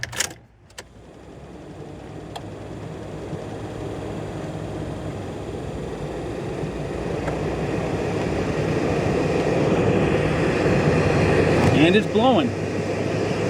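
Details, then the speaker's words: 2004 Honda Pilot rear AC blower, resistor thought bad tested; fan builds steadily to strong even airflow, no rattle or squeal. Normal blower operation. "look how we got working rear AC I don't believe it that was actually supposed to have been the bad one"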